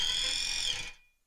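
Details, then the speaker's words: Force-driven SCARA robot arm joint on a geared motor, moving to minus 10,000 encoder counts: thin high electrical buzz holds steady, then fades as the motor settles on target. Working normally. "you can maybe hear the motor buzzing slightly we haven't quite got to the position there"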